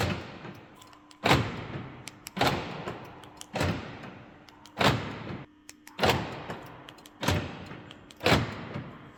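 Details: Mercedes B-Class door after the fix: lock rod bent to a slight curve so the cover no longer presses it against the door, cover refitted. Seven solid thumps about every 1.2 s, each latching cleanly with no rattle: lock works.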